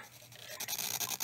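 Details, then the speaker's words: RME Fireface UFX audio interface after recapping its power supply: the rapid, irregular machine-gun-like crackling bursts over hiss recorded before the repair from failing power supply capacitors; the noise and flickering lights are gone afterwards. "so that was the sound that it was making before so let's record more audio and see if it makes that noise again it's all gone no more that crazy machine gun crap"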